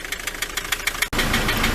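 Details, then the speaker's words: Ford Transit MK7 2.4 RWD diesel van idling, warming up after yard drive, fuel system bled and new injector seal kit fitted; sharp regular knock about seven per second persists though it runs great, owner unsure whether injectors are faulty, unconfirmed. "Its temperature's getting up now. It still runs great, it's just that noise."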